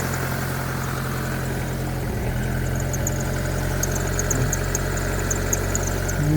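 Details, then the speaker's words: 1999 Mitsubishi Pajero Pinin/iO petrol engine just after high-pressure fuel pump replacement fixed its no-fuel no-start: smooth steady low idle, even rpm, no surging; normal. "anyway let's see if it starts without the bottom piece oh my god it worked it's running like a dream"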